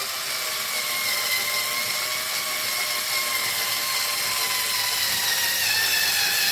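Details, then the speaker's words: Losi 5T RC car: high, gritty whirring with a rough rattle as the driveline spins; the gears are stripped and worn. "yeah the gears are getting stripped out in this thing so yes it sounds like garbage I know I know it doesn't sound good"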